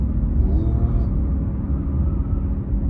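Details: 2009 Cadillac CTS driven slowly: low, steady droning rumble from the driver's side; suspected bad wheel hub bearing, later identified as the cause and replaced.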